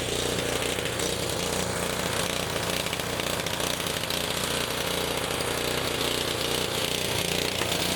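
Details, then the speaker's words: Honda HS520 four-stroke single-cylinder snowblower running on fuel poured in by hand: rough, uneven but keeps going; it only runs when primed because the throttle/choke linkage cap is stripped, and it surges, better on choke. "So yeah, that's why it won't start for anybody was it would only start when I primed it. That's exactly why you would throw it away."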